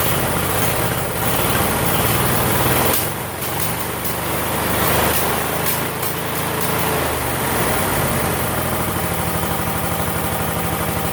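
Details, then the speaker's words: Roper 16T garden tractor twin engine under restoration, key on: steady speed with uneven, stumbling beat and irregular dropouts, likely missing; runs better with key off, when it shouldn't run at all; cause unknown. "So it runs better with the key off than it does on, and it shouldn't run at all with the key off."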